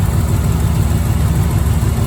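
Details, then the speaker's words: 1987 C4 Corvette V8 after replacing a grinding, failed water pump that caused overheating: deep, even rumble at idle, with a rev and no ticks, knocks or squeals. Runs smoothly and stays cool; normal idle. "All right, she's running good. Give her a little rev. Running really nice."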